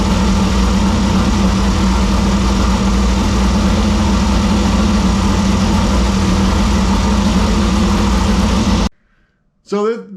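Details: 2001 Jimco Class 1 desert buggy, odd-fire Chevy V6, idle after cold start following oil change and rebuilt oil pump: even steady low uneven-fire rumble, no knocks or ticks, before shutdown; healthy.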